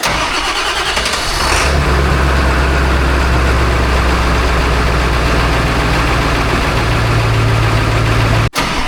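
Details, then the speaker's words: Ford 7.3 Powerstroke diesel, about 175,000 miles, good glow plugs, cold start at 18°F: quick crank, catches within two seconds and settles into a steady clattering idle; normal cold start. "As expected, the old girl fired off just fine. It's a good accidental comparison."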